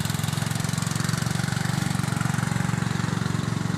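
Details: Westwood garden tractor with 11 hp Briggs and Stratton engine, after simple fault fixed, clearing a willow in the orchard: steady low even thumping, no misses or knocks; running healthy under work.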